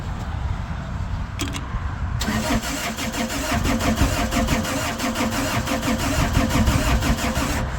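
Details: Laymor sweeper diesel that previously would not crank, now cranking after fuel pump switched on and filter full: starter churns steadily at about three compressions a second but never catches; likely out of fuel with air in injector lines, suspected not confirmed.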